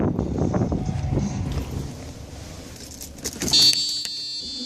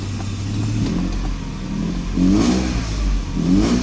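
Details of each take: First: 1995 Mercedes S600 after reinstalling the known-good throttle actuator (E-gas) control unit: engine catches and settles into a smooth, steady idle with no warning light; healthy after swap from the faulty unit. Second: 1995 Mercedes S600 with a faulty E-gas throttle actuator computer: with the pedal floored, the engine revs in short, weak, sluggish surges and rpm is unsteady. The throttles activate briefly, then go dead, and the clicking stops.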